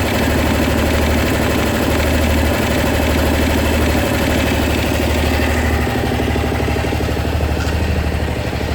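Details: Honda SH 300i scooter idling steadily with a light, fairly regular tick about three times a second. Mechanics in Germany say it's nothing, but the owner is sure something is wrong. Source unknown.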